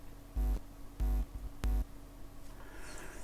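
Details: Revox A77 reel-to-reel tape recorder playback: three short dull boomy thumps with almost no treble over faint hum; tape sounds so bassy with no high frequencies, read-head contact gives only half a buzz; muffled playback.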